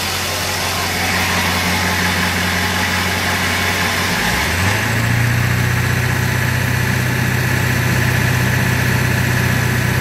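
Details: 2000 Ford 7.3L diesel truck engine idles roughly with an uneven, lumpy beat, and the idle speed shifts up slightly midway.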